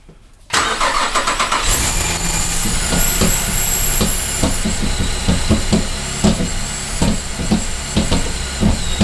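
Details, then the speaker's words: 2008 Cadillac CTS 3.6L GDI V6 just after timing chain replacement and reassembly, first start: engine settles into idle but sharp irregular popcorn-like pops keep breaking through; a vacuum line found off, source not pinned down. "why does it sound like popcorn"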